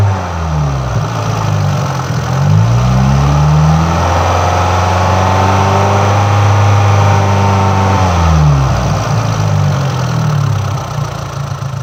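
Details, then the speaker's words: MultiAir engine with electro-hydraulic variable intake valve lift; the engine revs and settles, but the valvetrain beat stays unchanged throughout, because the ECU triggered failsafe and locked the unit at full lift. "now in this clip the multi-unit is again in failsafe mode if you notice it does not change its rhythm as it did before because it just locked to the full of setting the ECU has triggered this failsafe to protect the in Ginny case of a failure"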